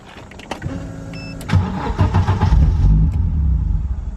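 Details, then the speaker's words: 1991 Audi 90 Quattro with big-turbo S2 engine, running rich and untuned: short crank then low uneven idle, repeatedly shut off; owner checking starter isn't staying engaged, unconfirmed. "I keep turning it off. I'm trying to make sure my starter's not staying stuck on."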